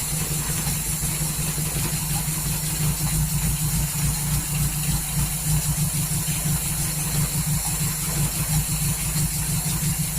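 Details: 1939 Hillman with an AC fuel pump issue and ignition timing possibly out from tinkering: low uneven idle, roughly three irregular pulses a second that never settle into rhythm; rough, unsteady running, cause unconfirmed.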